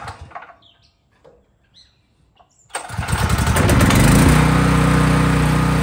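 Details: Craftsman 5000-watt generator, cold start after turning engine switch on, recoil pull: quiet handling, then engine catches, rises and settles into a steady, even drone; healthy cold start.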